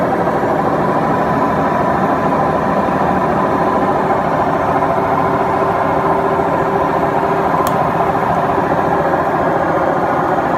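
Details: Beko washing machine, 7 years 8 months old, drum running; steady heavy hollow roar with no rhythm from worn drum bearings; machine to be replaced.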